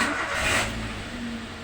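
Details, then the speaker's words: Toyota New Avanza that suddenly would not crank, with battery, starter, fuses and relays normal; with the ignition wire connected directly to the standard cable, bypassing the remote, it cranks briefly and settles into a smooth idle. "jadi pada saat kita langsungkan kabel standarnya Dia langsung mau starter"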